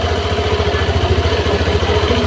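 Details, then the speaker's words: Honda Vario 150 injected scooter after correcting an erratic TPS reading: an even, steady low putter with no misses or hunting; the fuel-wasting idle is fixed. "teman-teman dengarkan dengarkan untuk motornya ya tidak seperti tadi tidak seperti tadi boros bensin ya teman-teman"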